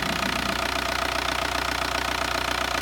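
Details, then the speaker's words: Newly bought daily-driver diesel car after an engine wash: steady, even clatter at idle, about two and a half beats a second, with no misses or knocks; normal diesel idle. "Sound almost like mine. A little softer. That's why I might change my settings."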